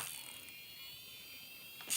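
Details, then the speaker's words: Traxxas Slayer Pro nitro RC truck throttle servo driven to full reverse throw by radio; thin high buzzing whine with gritty chatter then a sharp burst; steering servo fine: throttle servo dead. "it's making tons of noises oh throttle servo is dead and that is full swing in reverse"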